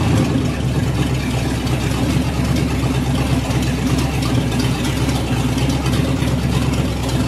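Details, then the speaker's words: Ford 351 Windsor V8 in a Ford F100 rat truck, first start, timing unchanged: deep uneven V8 rumble, stumbling rather than settling; dirt in the carburetor or fuel line suspected; rough running from dirty carburetor. "between the fabricator and the barefoot mechanic we can only think that there's dirt in the carburetor right"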